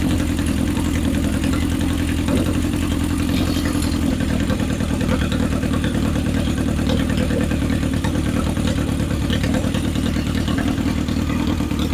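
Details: 1977 Honda CB750 chopper during a four-carburetor sync, with the slides on one linkage: smooth, even four-cylinder idle with a steady low burble and no misses, stumbles or hunting; the carbs sound balanced.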